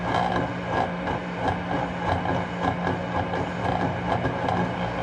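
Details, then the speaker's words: Lennox gas furnace, old inducer motor with failing bearing, also running hot with slight plastic burning smell: steady hum with rough rattling drone and uneven pulsing, quiet at cycle start, louder as it runs and when motor is moved; inducer motor bearing noise. "so there's a little bit of vibration noise and it's fairly quiet at the beginning of the cycle but as it goes on it starts to get louder and louder and as i move this motor you hear what i'm talking about"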